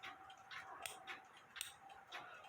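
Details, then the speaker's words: Quarter-hour cuckoo clock movement with weather man and woman, removed from case before ultrasonic cleaning: crisp, light ticks about two a second in a quiet room; the click catches cleanly and works properly. "It does work properly. If you can hear that, the click is working properly."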